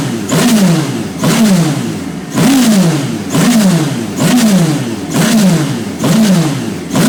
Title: My radical SR3 on the dyno with a misfire